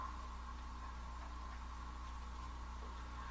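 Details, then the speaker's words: Kenwood TS-940 transceiver with an upgraded power supply, switched off and back on: a faint, steady high whine and low hum under quiet hiss; unknown whether the old supply did this. Suspected power supply whine. "There's a slight delay, and I can hear the whine, and I guess maybe now I'm just super sensitive to it."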